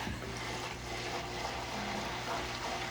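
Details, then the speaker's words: AquaClear (Fluval) 110 filter just restarted after an 80% water change: a soft constant trickle of falling water over a faint low pump hum, no rattling or gurgling. Normal operation. "thing has a really powerful what do you call it? I would say pump, motor pump, water pump, I don't know, but yeah, you can see it going there."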